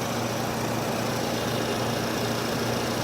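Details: 2008 Nissan Versa at idle, formerly very quiet: loud exaggerated purr with faint constant whine and subtle ticking when the fan starts; owner suspects alternator or a pulley, earlier told belt or chain; oil and trans fluid fine, coolant about half; engine whine at idle.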